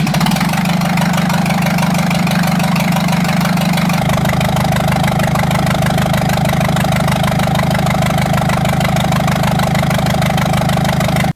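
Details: Jeep Cherokee XJ 2.5 turbodiesel with a rebuilt GT2052 turbo just installed, run to check for leaks before reassembly: steady diesel idle clatter with an even beat and no puffing or ticking. No leaks found. The previous turbo's seals failed after its oil drain hose collapsed.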